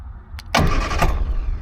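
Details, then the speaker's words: Triumph Herald cranked by bypassing a faulty ignition switch with a fused live probe to the solenoid: clicks then steady, even cranking, no grinding; starter and solenoid wire fine, ignition switch not feeding live. "as you can hear it cranks all right I won't do it too much cuz it'll flood the engine"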